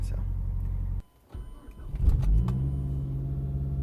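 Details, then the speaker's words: 2007 MazdaSpeed 3 cold start about 300 miles after replacing the VVT actuator: short crank, catches and settles to a smooth, even idle with no timing chain rattle; fix successful, healthy cold start. "no uh no chain rattle so I did successfully fix that"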